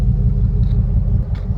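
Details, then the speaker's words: The owner's Headhunter, running rough since last week: a low idle rumble lurches unevenly with dropped beats but no knocks. It is misfiring and shaking where it is normally smooth; the cause is not yet found. "see how shaking it's real rough it's not shaking this engine usually smooth it's real smooth usually but it's running rough"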